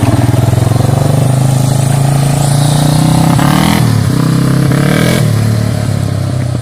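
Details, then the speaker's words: Yamaha Warrior 350 quad after carb jetting work, 12-disc Supertrapp exhaust with spark arrestor: single revs up strongly, pitch climbing, with a brief midrange stumble before pulling clean again; still sputters slightly under acceleration. "yeah that sounds nice so you have you tried wheelies on it yet it still sputters a little bit because uh"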